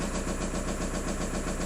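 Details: VW Golf GT TDI 115 hp diesel, six-speed, sold for spares or repair: steady idle with an even, rapid knocking pulse over the clatter; knock at idle, cause not pinned down.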